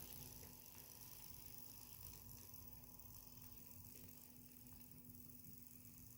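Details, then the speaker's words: Roco shark-nose A&B model locomotive with old three-pole, higher-RPM motors under MRC DCC: quiet steady low hum with one even tone; normal three-pole motor running. "it's not too bad they're three-pole Motors so you can hear them humming five Poole Motors you usually don't hear them"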